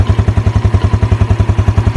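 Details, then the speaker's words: Used motorcycle being inspected before purchase, listening near the engine for ticking: even low thumps at about eight per second with no ticking or tapping; healthy, steady idle. "Nah teman-teman dengar juga bagian sininya Apakah ada suara atau tidak suara menggelitik begitu"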